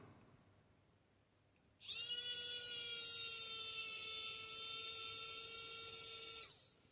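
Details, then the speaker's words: AFX Tomy Turbo slot car motor, removed and freshly oiled at both bearings, run directly on a battery: high steady buzzing whine, then smooth spin-down with lots of overrun; runs freely and healthy. "beautiful lots of over run there at the end it sounds good"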